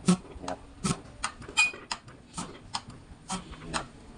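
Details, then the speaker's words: Mitsubishi Cyclone diesel injector pop test on bench, hard starting and sluggish; injector pumped slowly by lever gives crisp, clean hissing spurts spraying straight, passes, unlike clogged injector; injection pump also leaking. "ค่อยๆลงนะดูนะครับฉีดตรงๆนะครับ"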